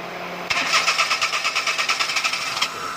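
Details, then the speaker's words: Perodua Kenari that was hard to start: with the coolant temperature sensor unplugged, the engine starts but runs unstably in lumpy, uneven pulses of about three a second, usable only as an emergency measure to reach a workshop. With the sensor plugged back in it runs normally. "kehidupan tidak stabil teh ini maksudnya bolehlah untuk sementara jalan dan ini kecap yang emergency lah"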